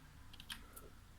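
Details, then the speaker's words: Nearly three-year-old Roccat Skeltr keyboard tested after cleaning and reassembly. A few crisp, clean, even key clicks in a quiet room; the keys press normally. "the buttons seem to be pressable."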